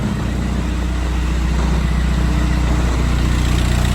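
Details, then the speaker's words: VW Jetta TDI diesel after replacing a noisy AC compressor clutch bearing: steady even diesel clatter at idle, smooth low rumble, no squeal or grinding from the AC compressor; normal idle. "No more noise from the AC compressor. Much better."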